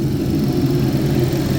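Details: 2011 GMC Terrain with past P0341 cam code, idling after an uneventful 20-mile drive; P0341 gone, only P0420 catalyst code remains, cam waveforms clean. Steady, even idle rumble, no skips, sputter or ticking; normal.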